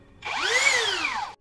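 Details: Low-budget rebranded brushless drill after repair: the rotor had been rubbing the stator and overheating the module. Paper shimming at the top fixed it. A short clean whir rises and winds down smoothly with no rubbing.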